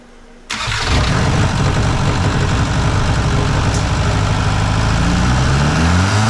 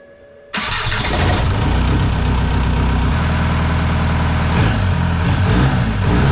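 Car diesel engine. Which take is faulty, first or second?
first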